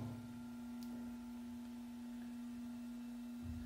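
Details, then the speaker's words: Ventisol electric fan tested through speeds 1 to 3: steady, clean mid-pitched hum with no rattle or scraping; the motor has no mechanical problem, and the only fault is the missing piece that holds the blade. "o barulho que tá fazendo ó Esse é o barulho comum normal do ventilador tá então ele não tem problema mecânico no seu motor tá normal"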